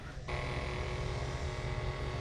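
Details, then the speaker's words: Abandoned 1990 Ford F600 box truck, engine off, key on; steady low electric hum and constant whirr from a pump the owner thinks is for vacuum, running on with nothing to switch it off. "what is working up in here though I don't know if that pulls vacuum vacuum pump or something probably it runs over yeah that's definitely got to be for vacuum"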